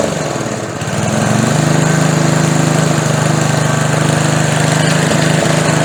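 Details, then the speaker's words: Older edger/mower with a McLane-type carburetor after diaphragm replacement and running adjustment, blade fully engaged, old non-resistor spark plug still fitted. Runs steadily with an occasional stumble, a slight miss. Engine misfire. "She's running pretty good now but she's got that little bit of a miss."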